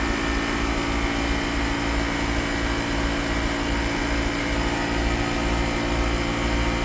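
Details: 2010 Mercedes-Benz GL450, new compressor and replaced air suspension valve body module: steady, even hum and hiss with no knocking while the front and back rise. Normal fast pumping, slightly loud.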